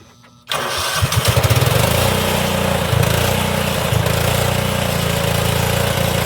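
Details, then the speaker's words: Old Cub Cadet HDS mower, suspected blown head gasket and squirrel-chewed coil wire, started with starting spray and no battery: cranks briefly, catches, settles into steady even run with no misses or knocks; normal running. "Oh, she does drive. I didn't have the little pin pulled in the back to let it drive."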